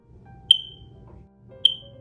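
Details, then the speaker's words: Smoke detector with a 9V battery giving two short, high low-battery chirps about a second apart in a quiet room, meaning the battery must be replaced with a new one. "so when we know the battery is out when they make the noise"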